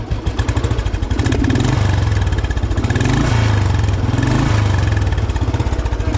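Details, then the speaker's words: Old vintage Royal Enfield Bullet 350 after restoration, major service and tappet setting, Indori mesh silencer; starts in one kick, deep even single-cylinder thump with gentle blips, no engine noise or rattles; healthy, not too loud exhaust note. "So silencer की भी sound काफी अच्छी लग रही है। मतलब बहुत ज्यादा लाउड नहीं है। डिसेंट सी साउंड इसकी निकल कर आई है।"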